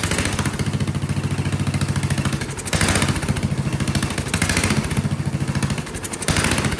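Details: Vintage Kohler motorhome generator, big flathead engine (guessed 400–500 cc), first start after filling the gravity-fed float bowl, choke held shut: chugging rises and falls every couple of seconds, surging and running violently; owner suspects carburetor problems or poor fuel delivery.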